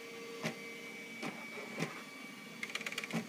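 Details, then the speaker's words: Bernina Artista 730 embroidery module in service-program test: motor hum with jerks and stuttering ticks as hoop skips back and forth and reverses mid-travel; X and Y movements hang up, internal optical sensors suspected, cause unconfirmed. "there it messed up it shouldn't have done that little back and forth skip thing it should be smooth"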